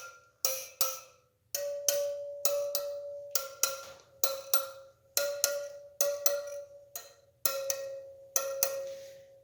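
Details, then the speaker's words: Yamaha TW200 wheel spokes tapped with a spoke wrench starting at the valve stem: crisp taps, most clear and high, a few duller and shorter marking loose spokes needing about a quarter turn; loose spokes. "you hear the tones in those? So some of them hear how that one isn't as high pitched."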